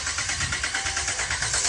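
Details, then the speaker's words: 2011 Ram 1500 that cranks but won't start after two fuel pump replacements: steady starter cranking at about five even pulses a second, never catches; no fuel pressure, pump not running, likely no power supply to it. "yes no fuel pressure all right guys uh i got a pretty good sense of what's going on in fact um we're not getting any fuel pressure because we're not getting any because the fuel pump is not running"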